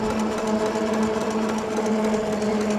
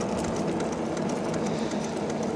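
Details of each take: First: Andsky Gravita LS e-bike, 750W motor (1300W peak, 90 Nm), full throttle downhill without pedaling, about 29 mph: steady, even motor hum with clear tone over light tire roar; normal hub motor running smoothly. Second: Andsky Gravita LS e-bike (750 W motor) riding in pedal assist: light regular tick with each wheel turn over tyre hum; rider suspects a bent spoke hitting the brake caliper.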